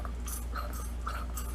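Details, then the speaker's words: 1947 MG TC lever shock absorber being rebuilt, arm worked by hand: soft rhythmic sucking and gurgling with each stroke, air drawn in; some fluid remains, refilling with oil to check shaft seal leaks considered. "something in there. You can hear it. Suction going back and forth. You get air in there."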